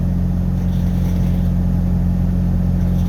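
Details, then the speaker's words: Pickup truck after reconnecting the MAP sensor to the correct port, previously idling rough with a code: steady, even low rumble with no misses or surges; code not coming on, idling smoothly, owner unsure whether the fix worked. "i'm not seeing the code come on and it's running really smooth now so i don't know if that fixed anything"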